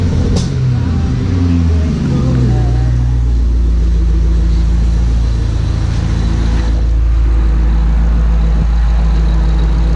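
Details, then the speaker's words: 2012 Ford Shelby GT500 Mustang V8 after installing a used FRPP TVS supercharger and new spark plugs, not yet tuned: deep, steady burble after a short blip settling into an even idle, no knocks or ticks. Normal idle. "And then I figured I'd come back, do the plugs, and check it all again. So far, everything seems decent."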